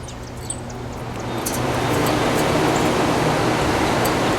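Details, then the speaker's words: 1967 Chrysler Airtemp 6000 BTU window air conditioner, model L06-72, first power-up: soft airy whoosh builds and holds steady; fan motor works, though the evaporator is clogged and airflow weak. "Fan motor works. Try low speed. That works."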